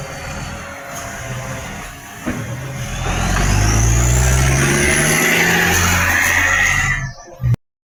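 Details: Tweed garbage truck 3218 with a massive exhaust leak: a loud diesel pulling up with a harsh, raspy roar and a rising whistle over the engine note.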